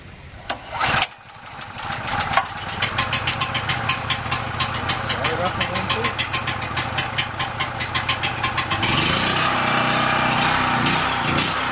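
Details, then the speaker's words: New Powermate PM0143250 3250 W generator, first start on choke: small engine fires in a quick uneven patter near three beats a second, stumbling; fuel starvation because the fuel petcock was accidentally turned off, then ran fine. "the reason it was uh sort of missing is because i turned the fuel peacock off i turned it on but a little gas getting the carburetor and then inadvertently turned it off a few seconds after i stopped the camera"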